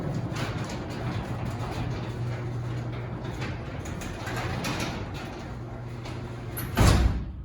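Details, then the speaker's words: Garage door opener running with a steady low motor hum and smooth door rumble, no squeaks or scraping, ending in a soft thud; much quieter after the springs were soaked with the same WD-40 PTFE spray lube used on the doors and rollers; normal operation. "I basically soaked this down with that PTFE lube from WD-40. And you gotta hear it now. I'm gonna hit the button. Let's listen to it. It's so much quieter now."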